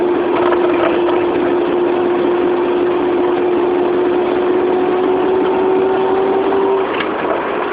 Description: Proton Saga 1994 1.5L Manual giving out weird spinning noise when accelerate... anyone can trouble shoot?